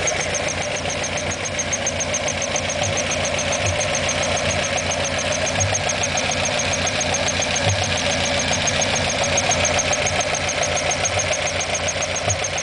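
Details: Alfa Romeo Alfetta GTV 2.0L at idle: fast, even light tapping about three to four beats a second over steady idle; unexplained top-end ticking noise.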